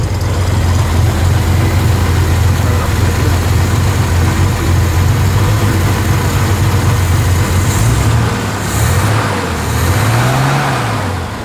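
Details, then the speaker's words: Corvair Monza Spyder six-cylinder 145 cu in with single Toyota-truck carburetor, electric choke, Pertronix electronic ignition, fresh oil, adjusted mixture, separate dual exhaust: loud even low lump at steady idle, no misses or knocks; normal idle. "It just idle smooth first. Of course, I put on the uh perronic electronic ignition, change the oil, adjusted the mixture."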